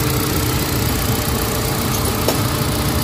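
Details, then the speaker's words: Hyundai Accent gasoline idling after fixing no-spark cylinder 1 misfire (P0300/P0301/P0302), spark plug tightened, check engine cleared, warming up; steady smooth low rumble, no vibration or stumble, running cleanly on all cylinders. "Wala na siya vibrate. So okay na."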